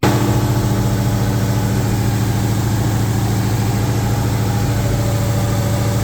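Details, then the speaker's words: 2003 SVT Cobra new forged engine after fixing the tapping noise, warmed up about 10 minutes: steady, smooth, quiet idle like a sewing machine, no tapping; hot oil pressure about 25 psi. "Motor's come up to temperature. Still sounds like a sewing machine. Perfectly smooth and quiet."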